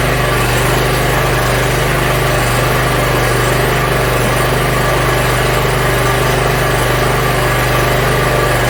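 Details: Yard Machines MTD 42-inch riding mower after new starter, cleaned carburetor and freed stuck emergency shut-off: small engine idles steadily with a smooth low thrum, no knocks or misses; runs fine.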